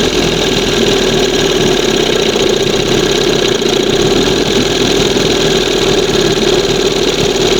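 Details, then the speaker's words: 1971 Johnson 20 hp outboard, replacement carb with two holes in butterfly: raspy steady fast buzz, won't idle below just past second mark; high idle, air/fuel leak, reeds or pump suspected. "With two holes in the butterfly, I have to lean it up a little bit. Now, see that's right after the second mark. It won't idle past that."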